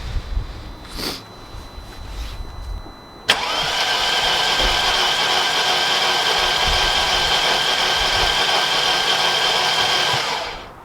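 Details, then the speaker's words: 2001 BMW E38 740i throwing camshaft position sensor codes, sensors swapped from a working car: starter whirs steadily about three turns a second for seven seconds and never fires. Crank no start; relay and fuses checked, plugs next. "I swapped it it was still doing the same thing crank nothing so I'll put this back on I'll give a crank again so you can guys listen to it"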